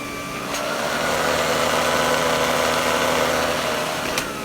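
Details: Vintage Electrolux power nozzle after fitting a brand-new brush roll: even motor whir with a steady hum from the spinning brush and a faint trace of vibration; sounds better and runs normally.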